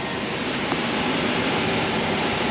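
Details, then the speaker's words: 2006 Dodge Charger 5.7 Hemi V8 at idle during AC recharge, about 0.25 lb refrigerant installed: steady, even engine and compressor rush with no knocks, rattles or grinding as compressor engages and pressure rises — normal AC compressor running. "you should see it come on in just a minute here oh there we go yep we're coming to life now pressure's coming up"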